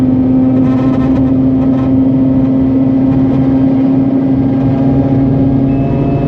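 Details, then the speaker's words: Mazda RX-8 rotary held at high rpm under heavy throttle (50% or more): a fizzy metal-on-metal rattle over the drone, absent under light throttle, with no loss of performance. Cause was a loose heat shield. "Now if I gun it, that's where you hear it. Alright, feels like something is hitting against something else."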